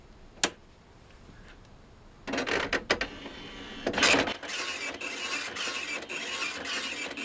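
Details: OKI ML321 Elite dot matrix printer, almost 30 years old, after fitting a refurbished roller/platen, on form feed: rapid buzzing print passes with even paper-feed clicks between lines; printing and feeding normally, line spacing now correct.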